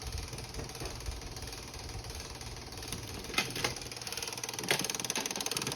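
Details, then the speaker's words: 2007 Suzuki GSXR750 revived after about 10 years sitting: quick light clicks, three or four a second, from the cable-driven exhaust flapper valve actuator. "In the exhaust, there's a little flapper valve that's run by cables, which I believe is this cable. Oh, you can hear me changing it when I push on that cable. and it opens and closes that valve. And the actuator is in here. And the actuator is clicking."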